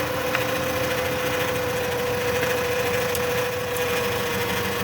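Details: Automatic transmission minivan, never serviced (fluid/filter), codes P0740 P0944 P1790 P0846 P0848: steady whine at idle growing louder with the dipstick out; fluid brown and burnt-smelling, transmission needing replacement.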